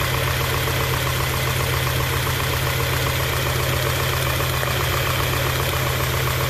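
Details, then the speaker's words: 1991 Honda Prelude Si after fitting new NGK spark plug wires and plugs: low, loping, stumbling idle with irregular dips, shaking as if about to stall; misfire persists, distributor cap and rotor checked next. "A rough idle, shaking very. It feels like it's about to stall is what's happening. Damn, misfire."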